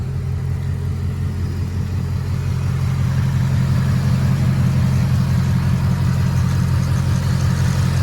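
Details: 2024 Ford Mustang S650 at warm idle just after its first oil change at 44xx with Motorcraft 5W-50, before a Whipple supercharger install: smooth, even, steady low hum with no ticking; valvetrain quiet and healthy.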